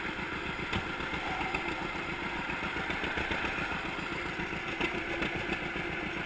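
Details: 1942 John Deere Unstyled A conversion, engine formerly stuck, on its first start after new spark plug wires (GoPro in waterproof case): even, unhurried popping near 220 beats a minute, steady without stumbles or rattles; runs sound.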